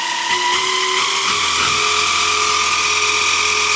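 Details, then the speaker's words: JET BD-11 CNC lathe conversion with a 1.5 kW servo and HTD 8M 40 mm toothed belt on temporary 3D-printed plastic pulleys: loud whine starting around 1000 rpm, much louder from 2000 rpm. "Вот уже начинает гудеть ремень. То есть уже получается обычную речь спокойную, вот если рядом стоят два человека, уже плохо будет слышно. Приходится голос повышать."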